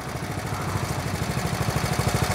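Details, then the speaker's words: 1970 Honda Trail 70 idling off the magneto, baffle in exhaust, fuel lines and clamps replaced; steady even single-cylinder putter, no misses or knocks, normal idle. "she's running right now off the magneto I think the battery you only need a battery if you're going to run the lights but don't quote me on that"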